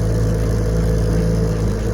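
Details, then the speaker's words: 1968 Evinrude 9.5 HP vintage outboard, lake test run after repair: steady, even low burble at dock speed with no misses or knocks; running healthy. "I've already test runed it but I wanted to make sure it's good forarm him for when he gets it next week so I'm out on the lake doing it so uh I've been running her she runs great"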